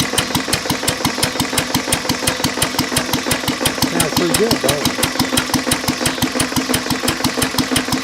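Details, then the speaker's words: Lister throttle-fed single-flywheel engine, believed 1920s–30s, with magneto, idle set low; block also cracked with water in the oil: a slow idle about three beats a second with a hard, sharp knock every stroke, a worn connecting rod bearing. "that was our liser I mean besides the rod knock and in need a paint it actually is a good running motor"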